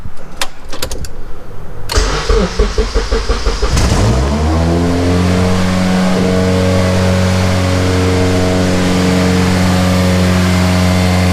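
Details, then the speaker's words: Budget K-swap Honda engine, untuned, new fuel pump and cheap fuel pressure regulator: cranks, catches and climbs to steady fast idle that won't drop even after throttle cable adjustment; idle stuck high, regulator suspected. "the car is revving really high and i try to adjust the throttle cable and it's still not going down"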